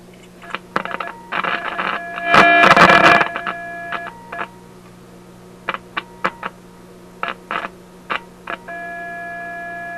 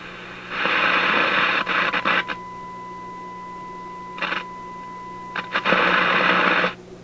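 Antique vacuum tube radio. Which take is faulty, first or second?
first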